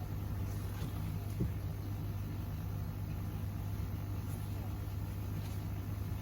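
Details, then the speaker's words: Koi pond air source heat pump, first switch-on after installation: a steady, low, even hum where the fan is the only thing audible, with no knocks, rattles or surging; healthy. "It's on. Yeah, only just. That's the fan. That's the only thing you can hear is the fan."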